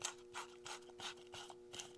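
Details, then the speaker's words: Farmall Super M engine rebuild: throwout bearing turned by hand gives a gritty, scratchy rasp pulsing about three times a second, with grit inside; rough, contaminated throwout bearing, and a replacement is likely being ordered. "Sounds like there's a lot of grit in there. So I think Connor's ordering a throwout bearing."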